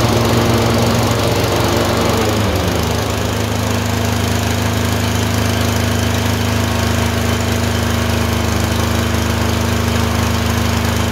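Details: Tecumseh 22 hp twin-cylinder engine surging with misfire alternating randomly between cylinders: lumpy, pulsing beat with a drop in tone partway through.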